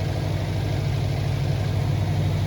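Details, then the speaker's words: Subaru warming up after a radiator replacement and coolant refill, heater on full hot to bleed the system, levels still full: a steady, even low idle rumble with no ticking, knocking or surges, running smoothly. "On va attendre un peu gentiment que ça chauffe tout ça."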